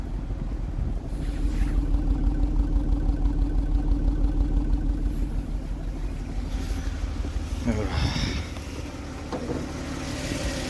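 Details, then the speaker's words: Jaguar XJ40 XJ6 4.0 Sovereign, normally super smooth, idling after bonnet left open in rain with oily water found in engine top: uneven, lumpy exhaust beat with a cylinder dropping out; misfire at idle, cause suspected, not confirmed. "But obviously a misfire is something to do with the cylinder, spark, the fuel to that cylinder."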